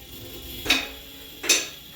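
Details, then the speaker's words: Dannmar M6 lift lowering with locks released: two crisp metallic clicks about 0.8 seconds apart over a quiet hum as it passes each lock position. The safety latches are working normally. "Now I'll come down, and you'll hear it go through the locks."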